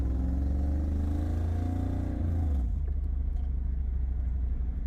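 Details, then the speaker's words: 1994 Chevrolet Camaro Z28 LT1 V8 climbing a hill under load after new plug wires and coil: deep drone stumbling and missing, nearly unable to pull; fuel filter suspected, later traced to a blown head gasket. "all right well it seemed better for a second but still here missing it's definitely got more this hill I almost couldn't even pull away from last time oh hear it"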